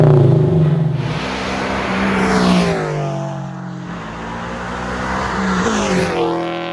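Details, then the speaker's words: Scion FR-S with catted front pipe reinstalled in place of the loud aftermarket front pipe, slightly warmed up, revved and heard from the rear outside: way quieter, cleaner and better tone; revs rise and fall smoothly with mellow note, no rasp or drone; healthy exhaust. "Overall, I think it sounds a lot more clean and a lot better tone. Obviously, it's way quieter now, and I do like loud cars, but I don't like loud cars that sound bad."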